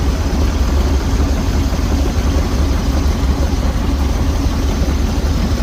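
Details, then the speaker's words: 1969 Jeep Jeepster Commando with a new battery, cold engine at idle: a deep, steady rumble with an even beat and no knocks or misses. It is slow to settle but healthy. A loose hanger was noticed; normal idle. "A little bit cold-blooded. See if we can get it to idle down here. Yeah, don't want to idle right now. It will in a minute."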